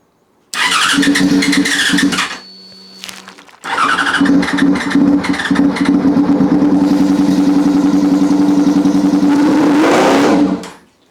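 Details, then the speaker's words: Yamaha FZ6 first start after rebuild, no silencer fitted: fuel pump primes, starter whirs, engine fires into loud even open-pipe idle with one quick blip before shutdown; sounds healthy. "the first start since we've done all this work I'm not going to run the bike for too long cuz it doesn't have a silencer on the back"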